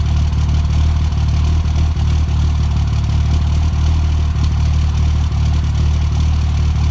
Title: Cold start misfire